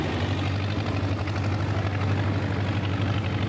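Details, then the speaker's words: John Deere 2010 tractor after a welded PTO gearbox housing repair, pulling a bush hog under mowing load: deep, even diesel throb with no squeal or gear whine; drive healthy. "PTO engage sounds fine to me the tractor runs loud anyway I couldn't hear anything it seemed to be running very very smooth"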